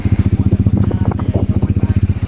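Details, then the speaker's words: Dominar single-cylinder bike started after 16 months in storage, on the first try, jump-started from a Pulsar's battery because its own battery was weak: strong, even thumping at about ten beats per second with no misses. Normal idle. "They didn't have any battery with them, so this gentleman actually helped me with his Pulsar's battery to jumpstart my bike, and it's alive!"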